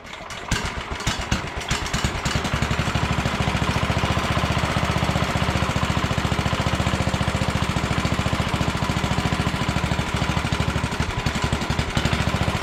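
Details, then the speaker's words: 1967 Sears Suburban 10 tractor single-cylinder engine during restoration reassembly, first start on choke with throttle cable unhooked, muffler loosely fitted, carburetor being adjusted; uneven hunting beat, RPM changed when brake cleaner sprayed near intake, vacuum leak. "well I discovered an issue you I got some brake cleaning I shot it in behind here and it changed RPM when I did that so it's got um vacuum leaks so I'm going to take care of that"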